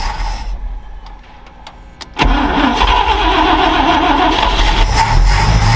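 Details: Ford Falcon Ranchero ("FalconStein") being revived: cranks briefly, catches, then idles unevenly, speed sagging near stall; owner suspects a stuck carburetor float starving it; new fuel pump working; carb kit rebuild planned.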